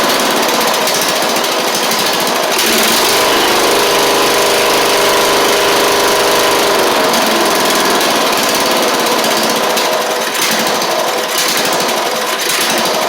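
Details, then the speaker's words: Troy-Bilt Pony mower after swapping its Powermore engine for a Briggs & Stratton flathead (new Briggs carburetor, 12.5hp air filter), run before pulleys refitted: steady, even pace, quick regular exhaust beat, no misses or surging; normal running. "not bad for what it is not bad at all"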